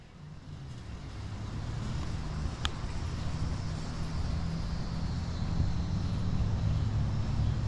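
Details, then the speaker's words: 2008 Jeep Patriot with 191K miles on a test drive at about 60 mph after a coil pack replacement: a steady, even engine drone with no stumble. The cylinder 4 misfire and intake runner control valve codes are cleared and it runs normally. "So, uh, not only is the Jeep running better, I'm looking at the camera."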